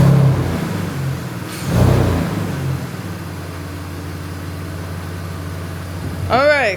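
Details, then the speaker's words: $400 BMW E46 petrol six, first start after replacing worn spark plugs and a torn intake boot to cure a bad misfire: steady, even idle with a quick rev blip, running smoothly without stumbling. "car sounds great."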